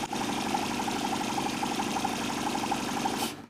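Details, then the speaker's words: Homemade bicycle Stirling engine with welding torch off, new linear bearing setup: light quick even ticking about four per second with soft whirr; runs much smoother, spinning freely. "Dengan obor las dimatikan, jelas bahwa solusi bantalan linier saya berjalan jauh lebih mulus."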